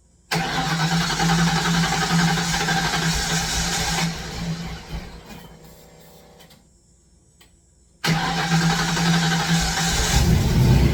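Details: Ford Fox Body Mustang after sitting a long time, battery on charger, fresh gallon of fuel and starting spray: starter cranks steadily at a quick even rhythm, pauses, cranks again, never catches; crank no-start, injector signal to be checked next.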